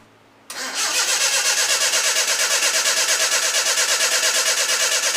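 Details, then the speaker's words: Project KADER after a new fuel filter (empty of fuel) and a newly fitted internally regulated alternator, not started since: starter whirs at a steady cranking rhythm for several seconds with no firing. Cranks but won't start. "But I also threw a new fuel filter on here, and I ain't got no fuel in it. It hasn't started since then, so I'm sure getting it to fire today is going to be a treat."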